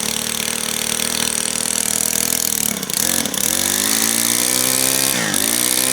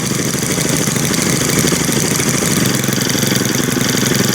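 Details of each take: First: Brand new Stihl FS91R two-stroke string trimmer, primed and started on first pull; buzzy idle sags and nearly stalls twice before recovering, idle speed set too low to keep it running. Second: Brand-new Stihl FS string trimmer, one of three started with choke, buzzing at a steady, high, even two-stroke idle with no dips or stalling; it idles smoothly.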